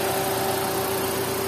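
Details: 2018 Toyota Avanza idling steadily with an even hum and no knocks or misses, after fixing a crank-no-start caused by a key/immobilizer problem; now starts on one click with no check engine light.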